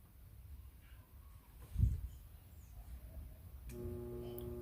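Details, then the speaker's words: Microwave oven transformer modified for 110/220 V pyrograph use, both primaries wired in parallel. A steady mains buzz turns into a louder, layered hum; the transformer is overloaded, too much current for its small core. "Ó, o barulho é mais alto. Ele vai funcionar, pessoal, ligando os dois primário em paralelo. E vai funcionar, só que eu não recomendo usar os dois, pessoal, porque usando os dois primários, né, é muita corrente para pouco metal."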